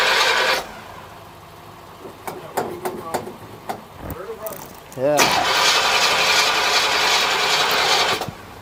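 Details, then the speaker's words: 1963 Chevrolet Impala V8 on a jump box: starter churns steadily at nearly four beats a second but the engine never fires; crew suspects it may be out of gas, unconfirmed. "gas it's got gas in it question I think it might be out of gas could be out of gas"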